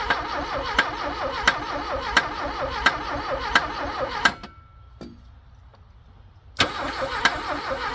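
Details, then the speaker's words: Abandoned Porsche 924 after a loose ground cable on the head was fixed, carb cleaner tried: the starter churns with regular compression beats, about 87 a minute, stops, then cranks again without catching; owner thinks it's flooded, fuel pump suspect. "a well I think it's flooded apparently uh carb cleaner is not as flammable as it used to be"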